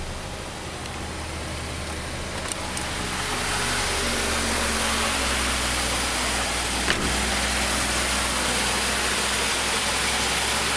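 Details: 1947 Dodge engine at idle, refitted after removal to investigate a slight knock: steady even idle with a smooth low beat and no knock or tapping; knock appears cured.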